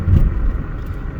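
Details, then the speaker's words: 2008 Cadillac on studded snow tires, test drive over potholes after acceleration, downshift and braking checks: only dull tyre thumps and road rumble, no clunks or rattles; suspension sounds normal and tight. "Hitting those potholes there sounded good. I don't hear any weird clunks."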